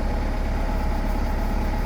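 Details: 1984 Pontiac Fiero four-cylinder after new spark plugs and wires: a steady, even low idle rumble with no misses, replacing the earlier slight miss and puffing noise; now idling smoothly.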